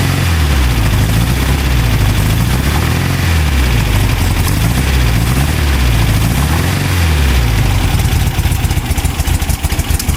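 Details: VW 2010cc engine idling smoothly after the knocking was fixed: steady low hum with slight rise and fall, no knocking heard; normal idle.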